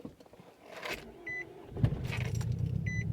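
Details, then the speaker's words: 2005 Nissan Altima 2.5L 4-cylinder right after fuel pump replacement: key-on chimes, short crank, then catches and settles into even low idle; normal start. "All right, there we go, success."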